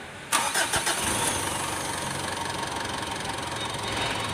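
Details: Mitsubishi Pajero Sport diesel after new cylinder head fitted following overheating, with timing belt fitted: short crank, catches within a second, settles into an even diesel idle with no knocks or misses; normal start and idle.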